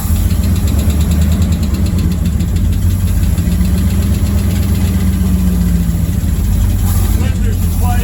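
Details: Old Ford bus V8 just after teardown and rebuild for no power, test fired with the spark plugs in: catches and settles into steady even low idle, no knocking or misfire; normal idle after repair.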